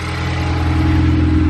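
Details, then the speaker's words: Ford Focus ST with a freshly built engine on a really cold start, catless downpipe with a resonator. Even low rumble with a gentle rise in revs, no knocks or ticks: healthy cold idle. "i do have it resonated so that's why it's not as loud so i do have a catless downpipe"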